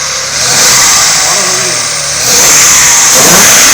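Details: First start after a breakdown repair: the engine catches and holds, then revs up cleanly twice with no knocks or misses. It sounds healthy after the repair.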